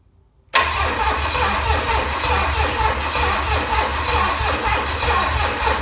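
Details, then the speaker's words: Low-mileage, never-overhauled 1968 Buick 430 V8 from a '68 Riviera, first start attempt in decades; starter churns at a steady, even beat for several seconds, never fires; crank no start, no spark. "No sparky. Well, I'm gonna have to figure out why it's not making a spark."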